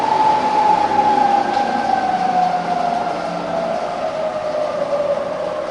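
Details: Fully rebuilt Bridgeport milling machine (42" table, new bearings and gears) under power: clean, steady whine sliding smoothly down in pitch as spindle speed is lowered, no grinding or knocking; normal variable speed operation.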